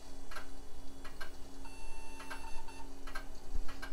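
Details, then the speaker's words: Mid-90s to early-2000s tower PC: a hard drive ticks softly about once a second over fan hum, sounding stuck while trying to spin up. The system then fails to POST, with a beep code suggesting video card failure. "and I don't think that hard drive is working yeah I figured this one was a long shot that sounds very stuck sure sounds like it's trying though"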